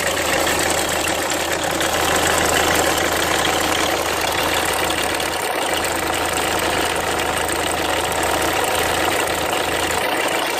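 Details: 2003 Renault Mégane 2 phase 1 1.5 dCi diesel at idle: busy clatter with a faint high bird-like chirp, steady with no rev change; owner thinks the timing belt needs redoing, cause not confirmed.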